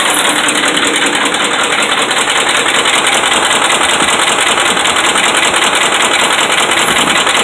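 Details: Dodge Ram 5.7 Hemi V8 held at fast idle around 1,600 rpm (kept under 2,000): deep, regular metallic knocking over the V8 drone, steady with speed; bad connecting rod and crankshaft main bearings.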